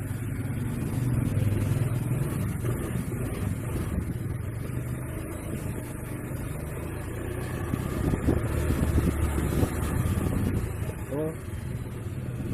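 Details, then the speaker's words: Honda Vario CBS scooter that made a CVT noise when revved, after rotating the clutch shoe pad and servicing the roller housing slider: it revs up and settles cleanly with a steady drone and no belt rattle or slipping; normal CVT running. "Ini alhamdulillah bunyinya udah hilang, udah halus ya."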